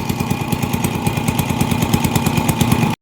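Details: TMX 155 single-cylinder motorcycle with hard starting, misfire worse uphill, no pull; owner replaced CDI without fix. Thump about three beats a second with uneven stumbling pulses; spark plug found defective, spark spreading to side.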